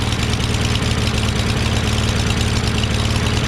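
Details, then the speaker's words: Craftsman push mower with a Briggs 550EX engine and a homemade choke flap: a lumpy, uneven thumping at fair RPM, about three irregular pulses a second. The carburetor is suspected; the float was later found loose in the bowl. "Running badly, but it's still running at pretty decent RPM."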